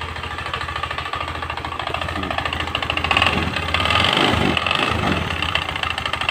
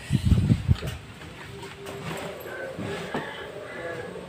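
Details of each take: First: Honda Spacy scooter, earlier serviced elsewhere with new con rod and sleeve yet still very rough: harsh uneven clatter at idle rising with blips, traced to flywheel/magnet cooling fan area; fan loose on worn bosses, sleeve and rod fine. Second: Honda Spacy scooter run without its cooling fan to test: after blips settles to a smooth, steady low idle with no rough clatter, confirming the fan caused the noise.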